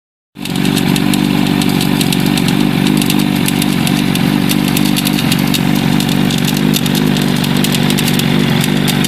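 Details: Suzuki Katana motorcycle idling steadily with a light metallic rattle ticking over the engine about four times a second; cause unknown.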